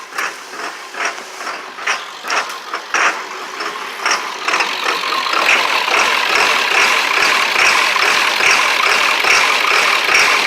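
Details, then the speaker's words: 1999 Ford Super Duty 7.3 diesel, just fitted with a 1994.5 HPOP with check valves, on a cold day with old summer diesel: uneven, pulsing lumpy idle turning harsh and clattery, with white smoke; seemingly not all injectors firing, suspected air in the lines or old fuel. "doesn't feel like all my injectors are fired getting a bunch of white smoke out there"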